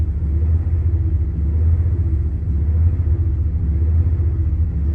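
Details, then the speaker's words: 1997 Dodge Ram 1500, 318 5.2L V8, nearly free, smoked before a plenum gasket job: a low, uneven idle that misses and surges up and down on its own. Owner suspects a gummed idle air control valve. "That sounds like something in the engine. Well, that's missing and revving up and doing some funny things there."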